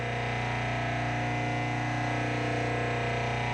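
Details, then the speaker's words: Craftsman 101 12-inch lathe, replacement motor running with the belt removed and unloaded: loud steady hum with a fast even pulsing buzz; the vibration is still in the motor itself. "Alright, we have a vibration, and it's still in the motor."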